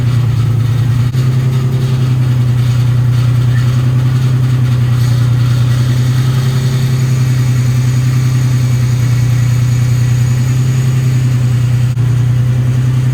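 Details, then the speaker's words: Nissan 350Z drift build, six-cylinder, warming to temperature, no leaks: low idle drone with lumpy uneven beat, a cylinder dropping out intermittently; misfire, owner suspects a bad coil pack, unconfirmed. "i don't see any leaks nothing seems too out of place but it sounds like maybe it's missing a cylinder or just misfiring a little bit it's probably like an uh coil pack or something"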